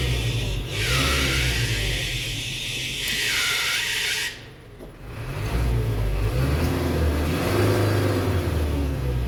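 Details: Isuzu Reward diesel running with the AC on: a loud high-pitched squeal comes and goes over the engine note; a noisy accessory belt is slipping under the AC load.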